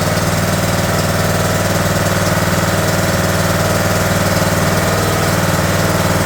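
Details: John Deere D110 mower engine rebuilt from a box of parts, throttle cable just hooked up, started with choke: small single-cylinder thumping at an even steady idle about two beats a second, no misses or knocks; runs healthy.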